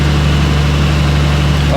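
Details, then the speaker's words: Nissan R34 started after fitting new OEM coil packs to fix a misfire: steady, even low rumble at idle with no stumble or skipped beats. Engine runs smoothly while warming up. "ready she Cherry she Cherry okay let's uh let's let it warm up for a bit"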